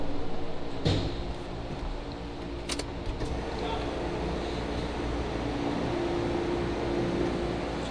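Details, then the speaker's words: Evo 8 with built 2.0, Garrett GTX3584RS turbo, Haltech Elite 2500 and flex fuel: sharp metallic clunks on each gear change over the engine and cabin hum come from the sequential dog box, which has no synchromesh. Normal. "so this is a sequential dog box shifter that's why you hear that clunking it really doesn't have a uh like a synchro mesh"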